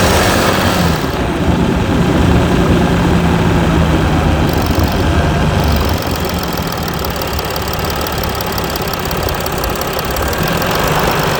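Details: Mercedes E320 CDI S211, 3.2 V6 diesel, 224 hp, 7G-Tronic, 250,000 km, DPF and catalyst emptied, cold start after sitting a week with slight smoke: loud diesel idle with uneven, lumpy knocking easing slightly; rough idle.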